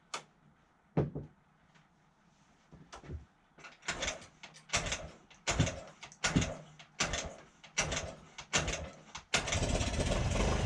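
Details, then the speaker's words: 2008 Honda Ruckus scooter, sat unused over 5 years, fresh gas, starting fluid sprayed in: uneven sputtering bursts about once a second before catching and running ragged; fuel-starved from clogged carburetor jets, later cleaned and runs better. "to think running it wasn't running all that well so I thought some of the Jets inside the car were clogged up so I took that apart cleaned it some of them were clogged up"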